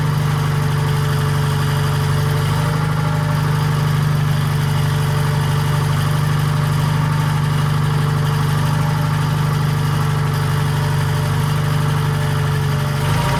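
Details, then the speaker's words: 1940s Allis-Chalmers, believed to be a D5, with a Detroit 271 two-cylinder diesel at first startup after many years retired: a steady, even low thrum with no knocks or misses. Normal idle, but it smokes heavily; a problem injector is suspected. "Motor sounds good."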